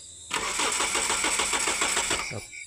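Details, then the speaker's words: Car engine that won't start, tested with a swapped-in known-good distributor. The starter cranks steadily at about seven pulses a second, then stops without firing; no spark, with the cause traced to rotten ignition wiring. "Okey kita dah test lepas tu tes api. Api memang tiada broke."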